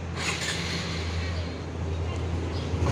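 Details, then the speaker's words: 2022 Honda Wave125i LED, under a year old, after fixing front panel/body-kit rattle by refitting screws with threadlocker: steady low engine hum while riding, no buzzing or rattling from the front; quiet and normal. "ผมก็สตาร์ทดูเท่าที่ขี่ดูนะครับก็ไม่มีปัญหานะครับก็เงียบแล้ว"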